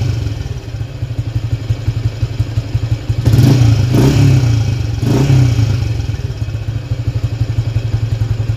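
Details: Motorcycle not run for 3 years, weak starter and battery, after engine reassembly and carburetor setting: steady low thumping idle about four beats a second, two clean blips settling evenly; exhaust smoke thought to be old oil.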